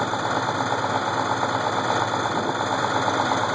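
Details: Case IH 1680 combine, 8.3L Cummins diesel idling: steady knock about twice a second under the clatter. The knock started slow and worsened; with the timing cover off, a cracked cam gear with missing teeth was found.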